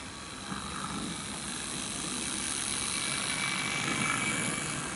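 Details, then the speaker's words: 1970s Farish Pannier OO gauge die-cast locomotive after sorting motor issues, pulling a train in reverse: soft even whirr with light hiss, no catching or grinding; significantly quieter than before, normal running. "so you'll have to take my word that this is significantly quieter than what it was before"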